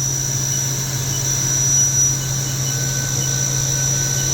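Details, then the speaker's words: Haas VF-3B vertical machining center spindle at 8,000 RPM: smooth, steady hum at constant pitch with a faint high whine, no knocks or grinding; quiet, healthy spindle. "We're going to be running now. We're at 8,000 RPM. You can hear how quiet this spindle is."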